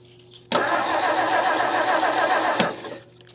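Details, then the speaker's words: 1959 Meteor left for dead in the bush, coil hot-wired: the starter cranks steadily for about two seconds with no firing at all, as there is no spark. Corroded ignition parts or a bad point gap are suspected. "Nothing, we got no spark. So, do we have no spark because this is all corroded, or because our point gap sucks?"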